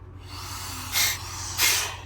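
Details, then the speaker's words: Old classic semi truck being revived, at idle: sharp bursts of air hiss each time the brake pedal is pressed, because the trailer air brake ports are wide open with the pogo stick removed; this also causes the poor stopping. "So somebody took the pogo stick off it. That's what that noise was. I got my air leak figured out."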